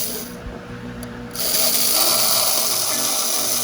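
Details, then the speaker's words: Restored Galaxie 500 slot car chassis, freshly oiled, bench-run on transformer after reassembly: thin high-pitched electric scream of small motor spinning freely and smoothly; normal running. "Sounds like it screams, doesn't it? Yeah. And it's got some, rollability to it."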